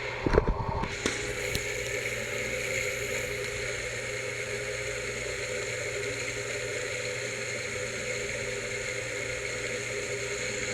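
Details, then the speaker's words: Pedestal fan after cleaning and oiling the bushings: steady droning hum with a constant rough whir persists; owner suspects the rear hub bushing. "As you can hear I still hear loud noises, I want to think it's the rear hub."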